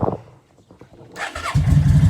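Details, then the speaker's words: Yamaha V Star 650 that sat a long time, fed gas with Sea Foam: quiet cranking, then the twin catches into a lumpy, loud rumble on choke; suspected gummed carburetors, and the exhaust smells of old fuel. "all right now a lot of times when you have gummed up carburetors it will run on a choke but it probably will not accept any throttle"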